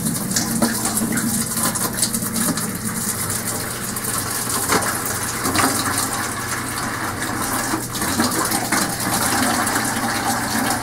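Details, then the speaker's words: Air purge of new copper lines feeding a Modine unit heater from an oil-fired hot water hydronic boiler, drained through a washing machine hose: steady rushing water with a faint hum and no sputtering or gurgle; lines fully charged, no leaks. "we need to do this until the water runs clear with no air bubbles and that is it guys these lines are fully charged not even a drip"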